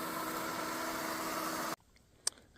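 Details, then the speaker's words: A highbanker water pump used for gold prospecting runs with a steady, dense mechanical roar and gritty hiss. The owner says the bearing is almost gone, worn from silt passing through the pump. "Um, the pump's a bit noisy. The bearon's almost gone."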